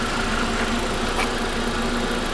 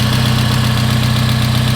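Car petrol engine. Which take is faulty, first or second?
second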